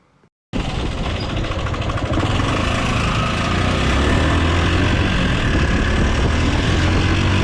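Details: Yamaha R15, 9–10 years old, died while riding; oil pump delivering little oil, replacement ordered: idles with a steady ticking clatter about four a second, from a worn cam and valves touching the piston, before repair.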